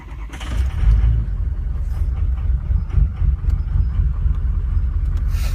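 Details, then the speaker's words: Cold start of a truck with an 03 diesel engine: rough, uneven low rumble with a lumpy firing rhythm. VGT has learned and no stuck vanes. The injector check points to a failing number two injector; number six is suspect too. "might be a little suspect to number six right here but definitely number two number two needs to go"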